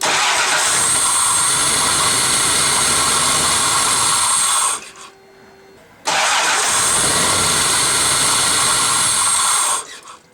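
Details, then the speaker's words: 1994 Toyota 4Runner that starts hard and stalls off throttle, with the vane airflow sensor unplugged: the engine catches, runs rough a few seconds with the check engine light on, then dies, twice. "vehicle starts check engine lights on and then it dies"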